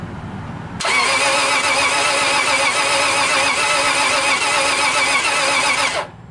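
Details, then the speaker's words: 2004 Subaru Legacy Outback, crank but no start, heard from inside the car: steady starter cranking about four beats a second for five seconds, never catching; retried later when warmer than that morning, owner suspects the battery, unconfirmed. "Anyway, here's what it sounds like from the inside. It wants to start so bad, right?"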